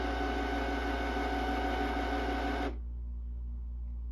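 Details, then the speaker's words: Canon printer/scanner that would not feed paper: steady mechanical whirring chatter during a feed attempt, then an abrupt stop. A broken belt or gear is suspected; it later worked after being opened. "Sounds like something broke. Sounds like something broke. Belt or gear or something."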